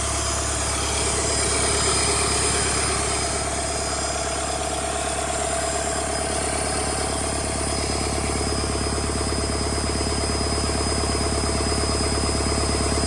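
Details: Rebuilt Doosan D34P diesel for a Bobcat S770 track loader, running test after rebuild: steady even clatter with a smooth low drone and no knocks or miss; healthy.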